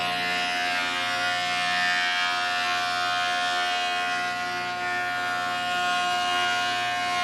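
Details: Large used planer cutting dry English walnut, dust extraction not yet hooked up: steady high cutterhead whine with even cutting hiss, no knocks, chatter or bogging; feeding and cutting normally.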